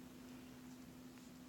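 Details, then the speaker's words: DZ1000 switch machine on Y switch (number 2), ASC2, ZW 14-16 V power, fired from iPad: low steady buzzing growl the whole time after firing, never done before; owner notes it only happens with the STM2 hooked up. "and if you can hear, there's a growl in the background. The DZ switch kind of just growls the whole time when it's fired. It's never done that before."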